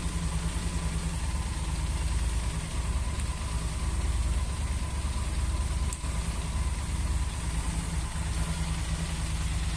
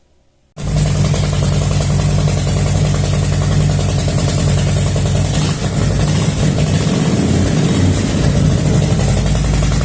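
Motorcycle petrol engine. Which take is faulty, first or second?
first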